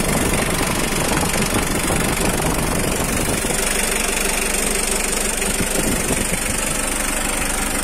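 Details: 2009 Mitsubishi L300 pickup with power steering and a 2,500 cc diesel, idling during a sale walkaround. Steady, even diesel clatter at about three beats a second, unchanging. Normal diesel idle.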